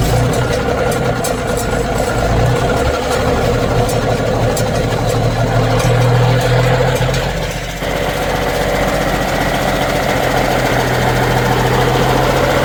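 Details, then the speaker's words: Diesel truck engine idling in neutral with the cab tilted, just after swapping in a new fuel button to raise power: heavy, steady beat with the usual injector clatter, evening out after a slight dip. Normal, healthy idle. "So, it's running all right with the new fuel button in."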